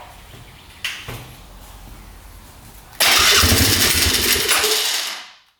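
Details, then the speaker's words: 1997 Polaris Magnum 425 6x6 ATV: cranking pops, catches, runs roughly with sharp popping back through the carb, then dies; owner guesses unprimed fuel pump running it lean. "sounds pretty good otherwise engine sounds really smooth it's just uh that backfire I don't like through the carb"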